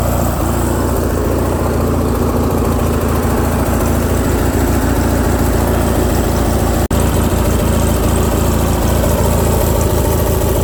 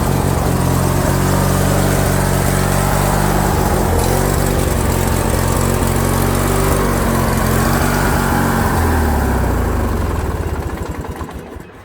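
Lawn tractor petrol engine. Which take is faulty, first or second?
second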